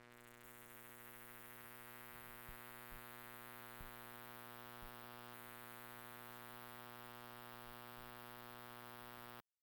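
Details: Google Pixel 6 30W charger emitting steady electrical buzz with stacked tones, swelling and fading in waves while charging a phone; mic (Shure SM58) placed against it; different cables and outlets tried, charger is the cause.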